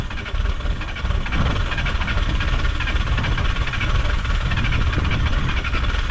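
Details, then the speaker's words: VW T3 diesel bus at over 4000 m in the Peruvian Andes, cold, with air in the fuel system: a heavy, uneven, lumpy idle with irregular knocking beats. Rough idle. "Die Höhe, die Kälte und die Luft im System machen es sehr schwer, unseren Bus zu starten."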